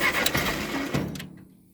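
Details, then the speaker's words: Ferguson TO20 tractor that sat three to five years, choked, during electrical troubleshooting: uneven cranking with a sharp pop or two that never catches; spark to be checked next. "y'all hear that it popped see what else happens [Laughter] again she ain't wantan to do nothing"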